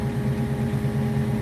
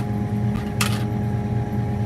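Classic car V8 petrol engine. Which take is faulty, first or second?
second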